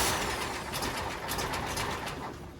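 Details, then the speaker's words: 1966 VW Type 3 Fastback right after a new starter install: brisk, regular cranking about four pulses a second with no grinding, stronger than the old starter. "definitely sounds better than the old starter definitely sounds better than the old starter so that that def the new starter sounds like it has way more cranking power or efficiency than the old starter did"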